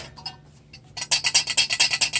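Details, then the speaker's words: Gorton No. 2 main steam vent, shaken by hand on arrival: crisp fast free metallic rattle, about eight shakes in 1.5 seconds; this is how a good vent should sound, internal pin not slipped or broken; normal rattle. "this is the Gorton number two and it when it arrives it should sound"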